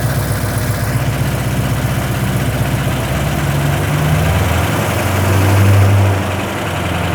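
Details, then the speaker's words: 1980 Rover 3500 SD1, Buick-designed aluminum V8 just fully rebuilt, first run around 2000 rpm: deep steady rumble swelling briefly with a throttle blip then settling, even firing, much louder than before; normal running. "Le bruit n'est pas désagréable, cependant. - Il est bon. C'est beaucoup plus fort qu'avant. Beaucoup plus fort."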